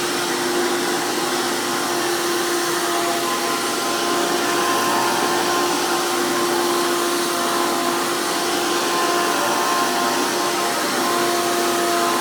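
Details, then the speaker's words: 2002 Hoover PowerMax II U5246-940 upright vacuum with 12 amp Elite motor, after motor work: loud, steady high-pitched whine with hard rushing airflow from a high-RPM motor and 20-blade fan impeller, no surging or rattles; normal healthy running. "runs amazing, has amazing amounts of airflow. If anyone remembers these 12 amp motors, while running at a much higher RPM, they also use a 20 blade fan impeller."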